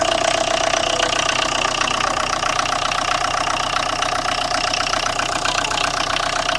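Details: 2011–12 Tata Indigo diesel idling: steady hard knock about four beats a second over the engine hum; the car also has a morning starting problem and the radiator fan is not running.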